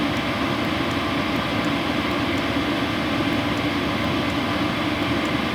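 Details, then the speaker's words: WIPPRO diesel heater: steady fan whoosh with faint constant hum, no ticking or pulsing, possibly upgraded muffler; normal, quiet operation. "The ticking noise is what most people find annoying. Even at power number 10, no ticking."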